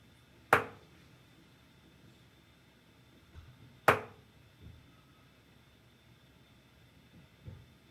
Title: Hotwater Cylinder Clunking Noise - Kingspan